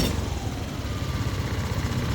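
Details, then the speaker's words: Yamaha Aerox scooter, idling after its dirty ISC (idle speed control) was cleaned, at just over 1000 rpm: a low, smooth, even putter with no dips or stumbles. It stays running without dying; idle fixed. "Hidup dia enggak mati tuh. Masih langsam."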